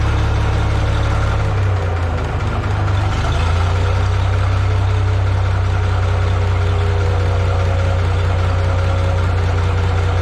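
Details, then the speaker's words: Minneapolis-Moline G950 propane tractor idling cold after doubled exhaust manifold gaskets with high-temp RTV, new Stanley muffler fitted; deep, steady low rumble, even beat, no knocks or misses, slightly louder than new-old-stock muffler; normal idle. "so it's definitely louder it's not a lot louder doesn't sound terrible"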